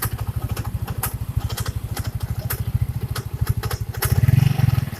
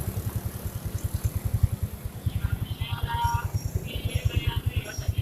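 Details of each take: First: First-generation Yamaha Mio scooter at idle: steady thumping with irregular scraping ticks from the front of the CVT cover, starting seconds after startup and gone with the cover off; the kick-start shaft is rubbing the crankshaft. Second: First-generation Yamaha Mio scooter after fix: CVT cover shaft cleaned and greased; idles and revs with even steady beat, no rattle or whine from belt drive, normal.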